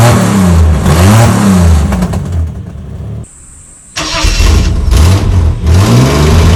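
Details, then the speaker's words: Holden VL Commodore after installing extractors, cat and cat-back exhaust and adjusting ignition and cam timing: deep, loud exhaust rumble rising and falling with throttle blips around idle; exhaust still loud. "hopefully it's not as loud but not too quiet it's still a little bit loud cuz it's that was disgusting all the soot coming out"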